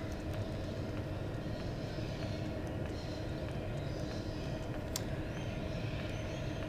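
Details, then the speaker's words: 2 kW Chinese diesel air heater on its lowest setting, drawing about 0.5–0.6 A: steady low fan roar with faint, evenly spaced fuel pump ticks; normal low-speed running. "it's easy for me to count the the pulses on the little fuel pump so I can see what the Hertz rate is running at"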